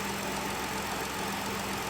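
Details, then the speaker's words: 2011 Ford Explorer, first start after replacing the spark plugs (almost 300,000 km old) and PCV valve for a cylinder 5 misfire code: it starts with no hesitation and holds a steady, even idle with no miss. "so there well we'll just start her up and see what she sounds like it actually started a bit different as soon as this started there was no hesitation whatsoever"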